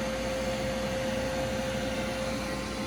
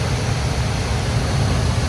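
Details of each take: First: Older gas furnace calling for heat: only the inducer motor's steady hum and thin whine, no burner whoosh; 3-blink pressure switch fault, the switch never closes. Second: Home furnace after clearing spray-foam blockage in vent that caused pressure switch 3-blink no-ignition fault: even low burner roar with steady inducer rush, no cutting out; lit and running normally.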